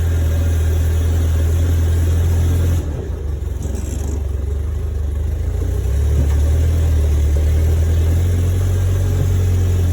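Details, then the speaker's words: 1972 Fiat 850 Spider, cold and not yet warmed up: uneven, lumpy chugging that sags and recovers, worst when given gas; rough running, owner suspects the accelerator pump or carburetor. "I took this out again because it's just not doing well. It, you know, especially when you give it gas."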